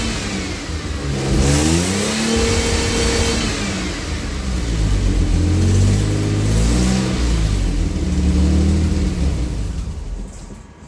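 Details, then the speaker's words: AJ30 Jaguar / Ford Duratec V6 in a Gilburn Invader on ME360 ECU, cold, during VVT setup: revs climb and fall with a brief stutter near the top; owner doubts his VVT valve settings. "Now, what I noticed there, and maybe you did, too, that was something like a rev limiter coming in. So that's not quite right."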